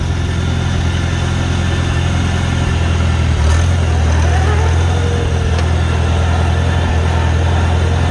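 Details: 1954 Farmall Super C tractor being driven through the gears: pulling steadily in second with a low even drone and the faint International gear whine over it. Normal gear whine, nothing wrong.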